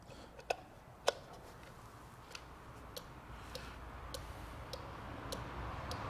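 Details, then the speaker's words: 2006 Opel/Vauxhall Astra 1.8 with overheating and coolant loss: a genuine cooling-fan relay cycled on a relay tester gives two sharp clicks, then even ticks about every half second. The relay passes and is good. "it'll kind of go through open and close that opening and close and it will tell you at the end if it's good or bad and there we go so we know that's good"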